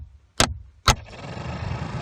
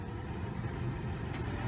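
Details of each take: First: 2005 Chevy Aveo heater blower motor at speed setting 3, heard from the passenger-side glove box: two sharp taps on the housing, then the fan spins up to a steady airy rush; motor has a dead spot, resistor is fine. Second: 2005 Chevy Aveo heater/AC blower after replacing the blower motor assembly (resistor ruled out), running at high speed: even low rush of air with steady motor hum, no rattle or squeal; normal operation after repair.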